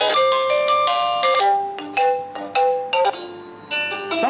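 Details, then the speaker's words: Amazon driveway motion alarm receiver with reception about 100 ft from the garage: a bright, jingly electronic melody repeats in short stepped notes as its motion-alert tone. The tone is selectable. "but the red light illuminates when there's motion and we already tried this out Ryan I walked about 100t from the garage here and it's still got reception so you can change the audio tone right like if I change this some"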